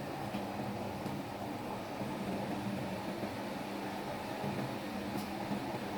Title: Solving the problem of vibration and knocking of the automatic washing machine